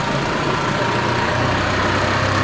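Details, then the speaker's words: 1958 Toyota Bandeirante diesel 4x4 after a full transmission overhaul, rear and front driveshafts turning: steady, even diesel rumble with no knocks, clunks or grinding; normal four-wheel-drive operation. "cardan traseiro rodando funcionando bonitinho certo seguir cardan dianteiro e e olha aí quatro rodas funcionando"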